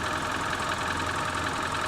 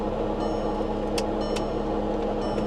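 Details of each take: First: Wrecked luxury car at idle: steady engine with a light, fast, even tick on top, the ordinary clatter of direct injection that almost sounds like a rattling engine; nothing wrong. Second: Vehicle at auction started with a booster pack: right after start, steady droning hum with a high thin whine over the idle; very slow to engage gears, possibly flood-damaged; abnormal running noise of unknown cause.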